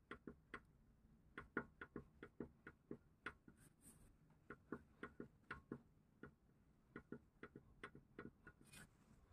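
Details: Hyundai Getz outer CV joint rocked by hand showing axial play: light irregular dry clicks, two or three a second; owner asks if this play causes knocking in turns and over potholes at low speed; unconfirmed.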